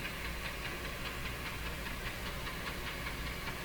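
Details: Nordmende Norma Luxus tube radio with a suspected loose connection or tube-socket fault: steady hiss with faint pulsing two or three times a second and no station audio. The FM side receives nothing; the FM antenna hookup is in doubt.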